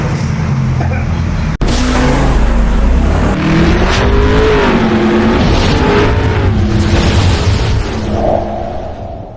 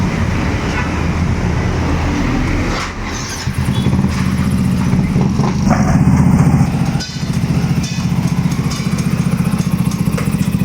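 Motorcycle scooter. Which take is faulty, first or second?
first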